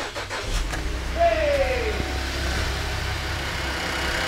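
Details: 2009 Buick Enclave, towed in, with fuel pump control module communication loss and rodent-damaged wiring: a brief crank, then it catches cleanly and settles into an even, steady idle; healthy start.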